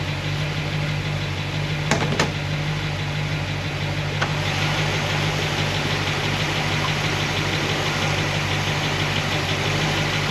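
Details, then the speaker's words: Warm V8 with solid roller lifters after the guide plate problem was fixed: steady low rumble with only a faint light tick, slightly on passenger side; valvetrain noise fixed, cause was the guide plates. "Drive it around a little bit, but for me, this seems like this is a win. This is a fix. So it was the guide plates."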